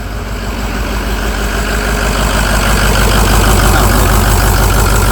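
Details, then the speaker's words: Used Ford 6.0 Power Stroke diesel, first start after install: steady low idle with a repeating lope about three times a second, cylinder two a dead miss on power balance test, no blow-by; cause not confirmed. "no blow by at all back in there that is fantastic all right so two is still a dead Miss we're gonna key off"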